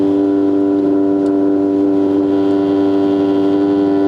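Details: 1960s RCA Victor 1-EMP-2K portable record player. A loud, steady drone of a few hundred hertz is turntable motor vibration fed back from the speaker into the cartridge; it stops when the tone arm is lifted. Acoustic feedback of motor rumble.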